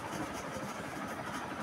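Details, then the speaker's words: Ceiling fan after bearing service, refitted and switched on: only a soft, even whoosh, no grinding or squeak; the loud noise heard at night before the service is gone. "Kipas berpusing seperti biasa dan tak ada dengarlah dah bunyi bising macam tadi tu."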